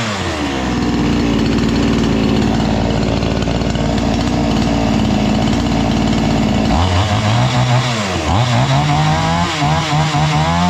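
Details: Chinese-engined tiller brought in as a non-starter, now repaired: engine holds a steady high-pitched scream at full throttle, then drops back and picks up cleanly on quick blips; running healthy.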